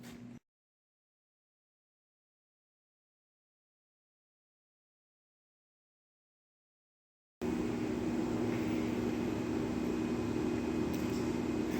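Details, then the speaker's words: CompAir mobile diesel compressor, idle screw adjusted to stop stalling, air valve open so no pressure build, block heater cord missing; after several seconds starts to steady even low idle, no misses or knocks, still a bit hard to start; normal idle. "yeah that's pretty good it's still a little bit hard to start but um I'm not too concerned with that"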